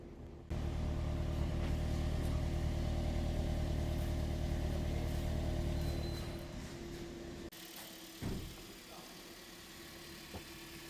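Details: 2016 Toyota Corolla 1.6 after repair of heavy misfire with codes P1603, P1604, P1605: steady, even idle hum with no skips or stumbles, then quietens down; engine running cleanly, no misfire.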